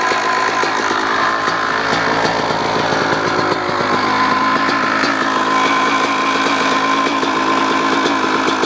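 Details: 2002 Kawasaki KX250 two-stroke at idle: light, quick ticking over the engine buzz; suspected causes are clutch basket, power valve, or crank rod or bearing, not confirmed.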